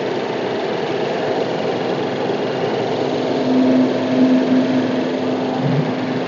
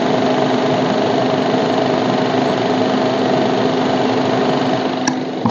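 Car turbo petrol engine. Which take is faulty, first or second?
second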